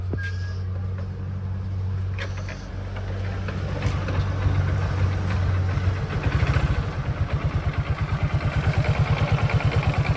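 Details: Hero Glamour bike after fitting a new timing chain and adjusting the tensioner to cure an engine noise: engine settles into a steady, even low thumping idle of about three beats a second with no top-end rattle; sounds healthy.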